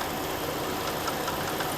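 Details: 2017 Jeep Grand Cherokee 3.6L V6 with intermittent rough idle and bog; during a scan-tool exhaust cam phaser cleaning routine, ragged, gritty running with a sandy texture; later code P000C, cause unconfirmed.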